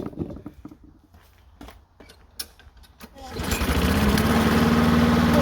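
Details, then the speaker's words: Lawn mower whose choke door stayed open, now wedged closed with aluminum foil: after a few handling clatters it starts and settles into a steady, even run with no misses or surging; runs better than before. "and this thing runs better than ever I'm telling you this thing better than ever this thing runs like a Champ"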